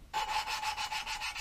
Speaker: You can hear the grinding compound working. And as that noise thins out, that means the compound's moved away from the actual seat and margin, and the tapping pulls the compound back into the area that needs to be ground.